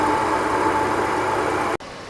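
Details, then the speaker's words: Auction BMW X5 just after a new low-pressure fuel pump was installed, starting on the second try after priming: a smooth, steady idle with an even hum and no knocks, misses or hunting; the engine sounds healthy and purrs. "listen to that thing purr"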